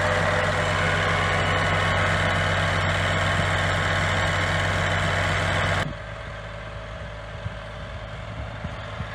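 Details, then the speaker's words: Scania G410 (2021) truck, 13-litre OC13 methane engine, up to ~500,000 km, idling after rebuild for overheating from running without antifreeze (cracked heads, melted piston, scored liner, failed liner seals): steady, even low rumble settling to quieter idle; healthy, quiet running. "так тихо работает? Тихо так работает? Это ж бензиновая."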